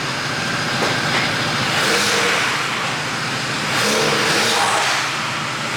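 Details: Mazda RX-8 rotary, hard cranking with no start: steady whirring crank that never catches, tone shifting slightly as the throttle is pressed and bogging a little. Owner suspects it needs plugs or isn't getting enough fuel.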